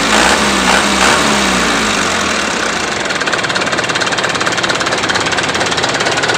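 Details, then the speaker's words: Mitsubishi Canter 125 diesel after injection pump (brandstop) timing advanced for more power: sharp, hard clatter at about two and a half knocks a second over a slightly shaky idle, smoother at high rpm; over-advanced injection timing. "broah memang untuk hentakan mesinnya agak sedikit goyang ya cuman kalau RPM tinggi Ya aman"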